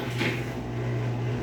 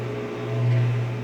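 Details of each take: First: Whirlpool washing machine on the spin cycle: a steady low hum with a rough, gravelly rumble as the drum spins. The drum bearings are worn and dry after water leaking onto them; the machine also leaks water. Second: 17 kg Whirlpool washing machine with damaged bearings, leaking water underneath: steady low hum with a faint tone above, swelling slightly then settling, the drain pump emptying the tub.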